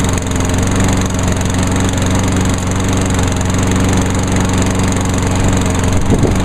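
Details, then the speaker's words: 2003 Craftsman 21-inch push mower with a Honda GCV160 overhead-cam engine, started on choke; runs at a steady, even speed with a smooth, unbroken drone and no misses or knocks. Healthy. "Alright, that one's good."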